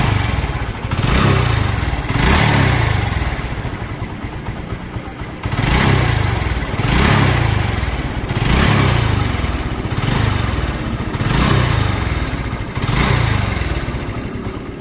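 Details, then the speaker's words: TVS Victor single-cylinder bike after a new timing chain tensioner was fitted, blipped repeatedly: the engine runs clean with no chain rattle or ticking. It previously made noise when ridden on the road. "मैंने इसमें नया stock कर दिया है और मैं अब आपको चेक भी कराऊंगा कि इसमें एक जरा सी आवाज नहीं आएगी ना ही सड़क पर चलाने में आवाज आएगी"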